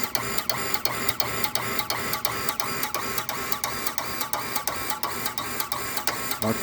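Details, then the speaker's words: Water pump fed from a 10,000-litre tank, pressure switch contacts burnt and broken: fast, regular clacking about three a second over steady hum even with one tap open; pump rapid cycling. "ตัวดีดมันดีดอยู่ตลอดเวลาแบบนี้ครับสุดท้ายลิ้นตัวนี้มันก็ไหม้แล้วก็หักเปิดน้ำแค่ก๊อกเดียวก็ดังอยู่แบบนี้ตลอด"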